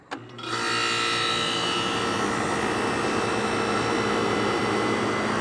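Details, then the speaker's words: 1970 Carrier 9-vent air conditioner with fan running: compressor kicks on and settles to a steady, even hum under fan airflow, no rattle or clanking; runs healthy. "But anyway, consider a good shot of that compressor starting up. Actually sounds pretty good."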